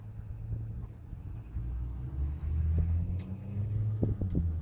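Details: CAT/Perkins 3054C diesel on a wood chipper, unused three years, after new filters and fluids: low steady rumble settling after start with no knocks or misses; running normally.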